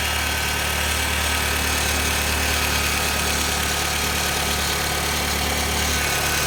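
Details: 2006 Honda Civic EX petrol engine idling with a rough, gritty grinding that starts shortly after start-up and lasts a few seconds after shut-off; VTEC solenoid, alternator, belt tensioner, cam and crank sensors, and power steering pump were recently replaced.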